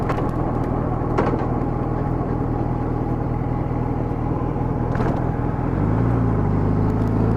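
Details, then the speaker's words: Honda GL1200 Gold Wing after Honda Service Bulletin #10 carburetor kit fixing low-speed partial-throttle hesitation: even drone building steadily under light throttle, no stumble; carbs fueling cleanly. "I don't know if you can hear that but I was accelerating up just light throttle but it's not stuttering one bit really feels good now"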